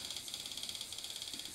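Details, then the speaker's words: Denon 2930 DVD/DVD-A/SACD player, disc spinning: fast even ticking about thirteen per second over thin whir as laser pickup keeps hunting for a track without reading; faulty laser pickup suspected, adjusting screws didn't help. "Can you hear that? That's the laser pickup attempting to uh to find a track."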